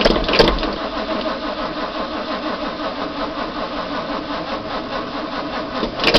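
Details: Big Block Chevy V8 at idle: lumpy idle with a busy metallic chatter on top and short revs at the start and end; the rattle is suspected to come from the clutch, not confirmed.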